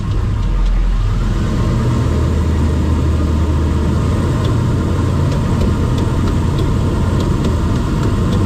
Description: 2000 Toyota Land Cruiser experiencing a rotational clicking noise at some point in the drivetrain.